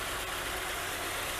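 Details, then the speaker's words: 4.9 engine with 47,000 miles, refilled after running out of gas, bogged on hills: uneven, lumpy exhaust beat; rough idle, plugs and wires needing a tune-up possibly suspected. "okay so you hear how it's running though that's not a 4.9"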